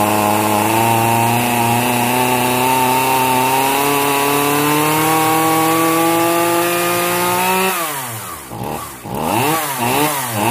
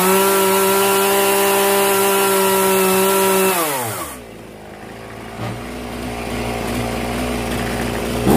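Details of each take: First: Zenoah 3800 chainsaw, long stored: steady high buzz whose pitch sags and wobbles as revs hunt; carburetor mixture screws opened too far, too much fuel, running rich, fuel spitting seen. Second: Zenoah 3800 chainsaw after carburetor mixture adjustment: crisp, steady high-rev scream dropping cleanly to a smooth, even idle without stumbling; saw runs healthy.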